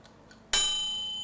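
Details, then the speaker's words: 60-minute mechanical microwave timer with bell, wired for manual operation after PCB failure, turned back by hand: faint ticking then a single bright ding fading over about a second; bell working normally at time-out. "ये timer है जो 60 minute का timer है, इसमें घंटी लगी हुई है। जैसे ही टाइम ख़त्म होगा वैसे ही इसके टन की आवाज़ आएगी।"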